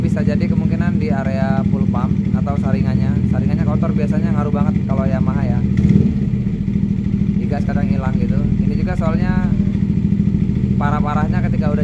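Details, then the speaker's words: Yamaha Nmax (new) that stalls and bogs, idling lean with an uneven, stumbling misfire-like beat. AFR reads up to 17 with normal injector duration; a clogged fuel pump filter starved fuel, fixed by cleaning it. "Nah untuk afr-nya ini naik sampai 17 itu artinya ada indikasi bahan bakar kurang ya"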